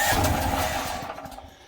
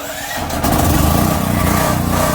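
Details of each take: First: DuroMax portable house generator run on propane, choke then idle controller tried: engine catches with a rough burst of revs then fades within two seconds; fires briefly but won't keep running. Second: DuroMax portable house generator, fuel valve opened to feed the carburetor, idle controller on: catches within a second and settles to a steady, even run, not yet warm; normal running, pointing the fault to the propane supply.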